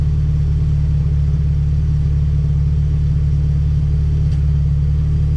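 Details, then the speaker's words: Honda Civic Si EK coupe, B18C1 GSR swap with Precision turbo, after tune refined and fresh start: deep even idle held steady without hunting, stumbles or knocks; air-fuel "pretty dialed", running smoothly. "there we go just breathe on the key and she fires right up"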